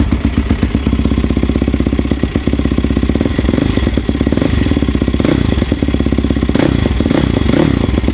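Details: Yamaha YFZ450 quad rebuilt with a 480cc big bore kit after a blown head gasket, rolled outside and restarted: single catches and settles into a brisk, steady thumping idle with light valvetrain clatter; starts and runs healthy.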